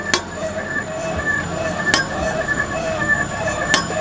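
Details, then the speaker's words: Mitsubishi Outlander 2013, steering rack, arm bushings and stabilizer links replaced last month, on a suspension shaker rig: sharp metallic knocks every second or two over rattling hum from the front right, heard on rough roads at low speed. "Jadi emang bapaknya itu komplain katanya ada suara di depan kanan saat di jalan keriting. Kalau kencang sih enggak kedengaran katanya tapi kalau pas pelan itu bunyinya kletak-kletek."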